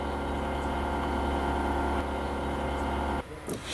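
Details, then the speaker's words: UAZ Patriot auxiliary heater circulation pump, stock motor bolted rigidly without a rubber damper: steady buzzy drone hums through the body, then cuts off near the end; vibration transmitted through the rigid mount. "Сейчас работает мотор, который на штатный, без демпфера."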